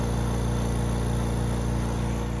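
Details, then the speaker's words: Vacuum pump holding CNC workholding table with part sealed over gasket; steady low even hum, no leak hiss; firm vacuum, part cannot budge; normal running. "a nice firm vacuum, and as you can see, I cannot budge that part."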